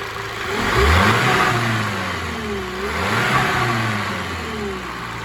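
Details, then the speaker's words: Skoda Superb 1.8 TSI petrol after engine repairs for misfiring, hunting, oil light and cam position code: starts on first crank, even idle, two clean smooth revs with no knocks or ticks; healthy engine. "तरीके की कोई भी आवाज नहीं है engine के अंदर और गाड़ी की स्टार्टिंग भी एकदम परफेक्ट है"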